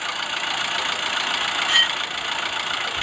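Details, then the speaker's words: Isuzu Big Horn 4JG2 diesel idling after overhaul, still knocking: rough, hissy idle with light tek-tek-tek tapping from deep inside and some vapour escaping; found piston problem, liners not replaced during overhaul, pistons to be inspected. "okey Jadi tidak berapa nampak yang bunyinya tek tek tek tek tek. Boleh dengar tek tek tek. Nah, dia punya anu kasar sikitlah."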